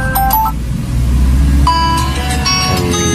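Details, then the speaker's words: Redmi 5A phone that had no sound after connecting an active speaker, repaired by replacing the power IC; ringtone plays loud and clear from the loudspeaker, no crackle or dropouts. "sekarang sudah berfungsi, ya. Awalnya, tidak ada suara sama sekali."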